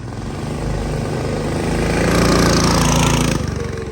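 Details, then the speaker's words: Big block mini bike with new exhaust on first test ride, under load; single-cylinder revs rise then turn ragged and uneven. Breaking up; float height needs adjusting, carb tuning needed, owner suspects it is flooding itself. "Bro, it's moving. Sounds like it's breaking up a bit. Definitely need some carb tuning."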